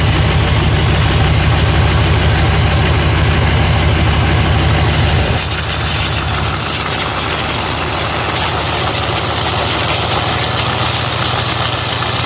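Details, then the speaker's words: Duramax LML diesel pickup after a CP3 conversion at another shop, heard from the passenger inner fender: steady idle with sharp ticking puff in time with firing, about three a second, soot and exhaust smell; exhaust leak. "But when I saw the soot, I knew I told him the wrong thing. Let's see what it sounds like. Oh yeah, you can smell it."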